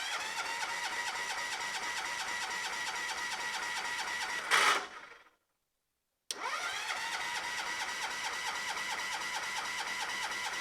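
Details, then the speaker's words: John Deere 214 lawn tractor after moving purple starter wire, choke pulled, throttle up: starter churns with even chugging rhythm, stops, cranks again, no catch; owner dislikes starter sound; cranking no-start. "really don't like the sound of that starter all right so I think that was Spark"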